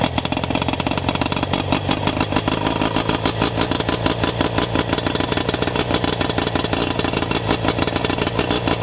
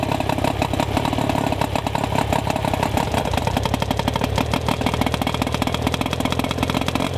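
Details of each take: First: Rough-running outboard during ignition diagnosis, spark checked with neon tester: ragged, clattery uneven firing at fast idle; fault traced to ignition power pack, later replaced. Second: Outboard after replacing ignition control module, shortening coil boots and greasing connections: quick, even firing beat holds steady with no stumbles or gaps; now running smoothly and cleanly.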